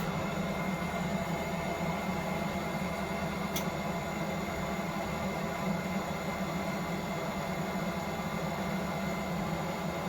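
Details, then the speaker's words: Propex Heatsource LPG space heater in a van, switched to flame: fan whirs steadily but no ignition spark ticking and no flame lighting, then winds down; fault, fixed by cleaning/service. "we can hear it come on but I can't hear the ignition but I can't hear the spark for the ignition because on this particular van should make a ticking noise"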